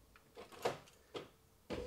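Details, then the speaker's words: 2002 Mini Cooper S R53 after instrument cluster fault repair, central locking previously only unlocked: now a few sharp lock clunks, then a steady motor hum as the window winds up; locking works. "all right so the car is locking oh there you go it's flashy now"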